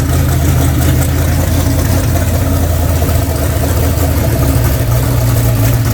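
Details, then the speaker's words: Freshly rebuilt V8 (ARP rod bolts torqued to 90 ft-lb, new ring gaps) on first start: fired almost first rotation, steady even rumble and settled idle with no knocks, ticks or misses; runs healthy. "all right well there it is huh 356 is in fired up running time and said everything's good it fired up pretty much first rotation"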